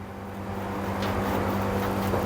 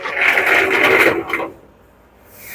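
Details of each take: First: LG commercial dryer after replacing damaged drum rollers: new roller spun by hand gives a low, steady hum with no grinding, knocking or abnormal noise. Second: LG commercial dryer, drum turned by hand with panels removed: harsh scraping grinding, also loud when running with a load; damaged drum support roller wheels, and replacing them stopped the noise.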